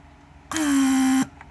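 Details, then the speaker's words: Rebuilt Mercedes W140 500SEL door lock pump, central locking/unlocking test (pressure unlocks, vacuum locks), no leaks: steady buzzing hum under a second, pitch dropping slightly, clean shutoff at set pressure/vacuum; normal cycle. "high once pump reaches that pressure or vacuum set it shuts off so this is great"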